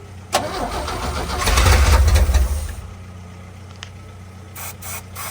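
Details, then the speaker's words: 1966 Chevrolet C10, cranking with fuel still not reaching the filter: starter spins the engine about two seconds without firing, then quiet; no-start traced to the faulty fuel supply line from the frame to the pump, needing replacement. "Yeah, it's sucking fuel, that's for damn sure. We need a new fuel line."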